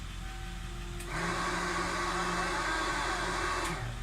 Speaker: And then turn on one of the fans, exhaust fan. So exhaust fan's the two behind me, and you're on high, so turn it on low.